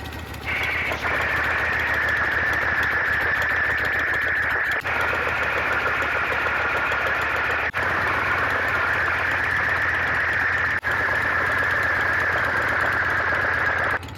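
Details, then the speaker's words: Shovelhead V-twin just started, warming only a couple of minutes, at idle, heard close up (recorded per valve): all four valves quiet, smooth even idle with no ticking or tapping; noise had been affecting rear cylinder over two rebuilds. "the bike has just turned on it's only been warming up for a couple minutes there's no noise on any of the valves right now"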